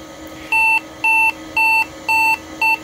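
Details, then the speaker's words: Compaq Deskpro 286e retro PC at power-on: six even, high-pitched beeps about two a second, a power-on self-test error. The owner suspects no keyboard or mouse detected and probably a bad CMOS battery. "that's probably two things those beeps are probably a couple things one no keyboard and mouse is detected because obviously nothing is plugged in two it's probably also a cmos battery issue"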